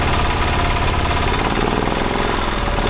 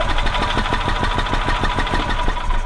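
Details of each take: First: 1985 Club Car DS gas golf cart single-cylinder engine, previously crank/barely-start-then-die, first start after carburetor cleaning with airbox still off: fires and settles into a steady, even chug with brief rev dips; running normally. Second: Gas 1985 Club Car DS, wants to start then dies unless throttle feathered; fuel filter replaced and electric fuel pump confirmed working: rapid chuffing about six per second as it turns over, briefly runs, then dies; carburetor suspected.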